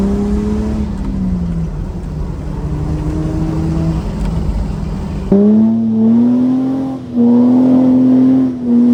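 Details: Toyota LandCruiser exhaust before fitting Pacemaker extractors, from clips of previous trips: a smooth exhaust tone rising and falling with each rev, with no rattles or blowing leaks. A healthy, even note.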